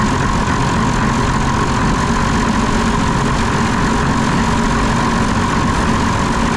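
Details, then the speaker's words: Diesel engine on concrete pump, injector lines cracked to check for air: loud ragged uneven beat when throttle screw adjusted; air in fuel from failing lift pump, later replaced. "all right so if I adjust the otle screw man it sounds horrible"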